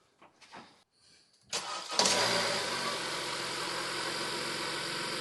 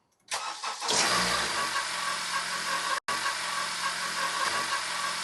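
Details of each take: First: 2015 Honda CR-V four-cylinder (4th gen) after new Gates K070565 serpentine belt: starter cranks briefly, engine settles into a smooth steady idle with no belt squeal or chirp. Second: 2015 Honda CR-V 4-cylinder, before belt replacement: the engine catches and idles with a thin, chirpy squeal that doesn't clear. Worn serpentine belt.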